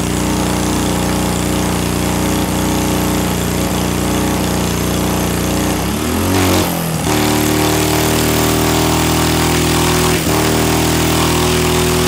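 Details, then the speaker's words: Small see-through single-cylinder turbo engine on EFI and gasoline, first anti-lag run (6,000 RPM limit, -30 to -26° timing), no load: loud rough popping with steady turbo whistle as oil burns out of the smoking turbo; about 5 psi boost. "5 lb de impulso sem carga que o turbo é definitivamente fumando agora Parece que queimamos a maior parte do óleo fora do turbo"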